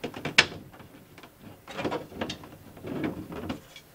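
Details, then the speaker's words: MaxxAir MaxxFan 4500K roof vent fan in an RV bathroom: sharp, uneven plastic clicks and ratcheting snaps as the automatic lid moves; the lid operator mechanism is falling apart and needs replacing. "the clicking noises are you're hearing from your max then deluxe rook that actually means you need to replace the operator mechanism"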